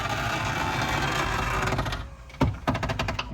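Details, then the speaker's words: 2005 Porsche 911 Turbo S door window rolling down: two seconds of harsh scratchy grinding, then clunks as it stops; window regulator binding, before the regulator repair and adjustment. "whether or not I can identify that scratchy noise you heard when the window rolled down"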